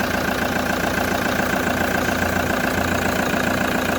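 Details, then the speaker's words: Toyota HiAce idling after replacing non-charging alternator and new drive belt: even steady idle around three and a half beats a second with smooth faint belt hum; battery light off, charging normal, healthy. "I-read natin. charging normal na mga boss. So okay na, goods na."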